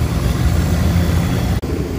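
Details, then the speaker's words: Old Bard AC unit, single phase, with a newly replaced compressor running on 422B: steady low hum with an even drone and no rattling, clanking or grinding. The compressor runs normally. "definitely single phase only two lines coming in so that compressor sounds good"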